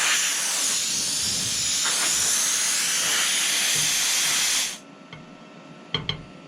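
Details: Vector-Welding Plasma 70PD 400 V/70 A pilot-arc plasma cutter, first test cut on steel bar at about 40 A, with a leak noticed; loud steady air-and-arc hiss for nearly five seconds, then quiet with a few clicks, cutting normally.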